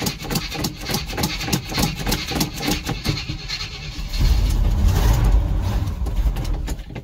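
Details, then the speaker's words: 1982 Chevy K30 Squarebody 1-ton 4WD, cold start, gas pedal pumped with fuel not yet pulled up. Slow, lumpy cranking for about four seconds before it catches into a deep rumble; cold-blooded, and the choke may not work. "Give her a good pump. Doesn't matter because we haven't pulled any gas up. Get her turning over. Pump, pump, pump."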